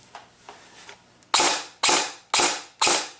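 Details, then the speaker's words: Airsoft gun after fixing a moving pinion, motor/MOSFET still cool: four semi-auto shots, each with a harsh high-pitched shriek, because a gearbox bushing and gear are off-center, and the motor has moved. "sounds like it got a lot more shriekier so the motor has definitely moved now this isn't going to be the best sounding gun basically because the uh one of the bushings and the gear that's in there is not completely centered so as it rotates it makes this noise"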